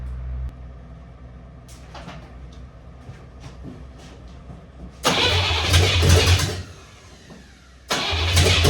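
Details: 1983 K5 Blazer after a turbo diesel engine swap, first start of the fresh, cold build with timing set to advanced and 10–15 s of glow plugs. A quiet spell with faint clicks, then two loud bursts of cranking and catching; normal.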